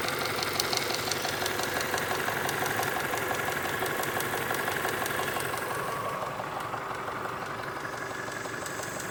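Steady light ticking at about three per second over a smooth idle, clear and regular; top-end valvetrain tick, cause not pinned down.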